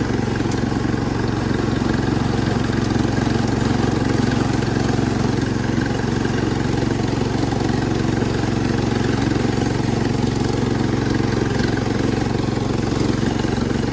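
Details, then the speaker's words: Cub Cadet 1250 hydrostatic garden tractor, revived after seven years parked, steady hard drone pulsing about three per second, loud and raw while driving; the exhaust/muffler is worn out. "we might have a driver a very very loud driver because the exhaust is worn out but we're doing pretty good for a free tractor so far"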